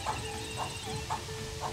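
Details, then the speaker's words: Converted bus during battery and current-draw diagnosis: a relay clacks about twice a second as the draw rises to about 1 amp; possibly the Webasto heater trying to start, potential problem not confirmed. "là vous entendez le clac clac cl c'est un relais qui claque ça c'est quoi un relais qui CLA un relais c'est un relais électrique en fait il appelle du courant"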